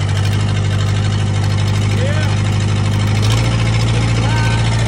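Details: 1998 Gehl 4625 skid steer 4-cylinder diesel after rebuilding the injection pump, new injectors, filters and fluids: steady, even clatter at constant idle with no misses; normal diesel running.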